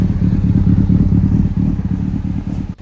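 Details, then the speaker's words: Honda CBR600RR four-cylinder, idle turned down to around 1,000 rpm: lumpy, loping idle about three beats a second, sounds cammed; owner suspects a misfire, injectors and spark plugs to check. "Somebody commented in the other one to check the injectors and the spark plugs. It might have a misfire. I don't know if this tells me or what. It's also idling kind of high."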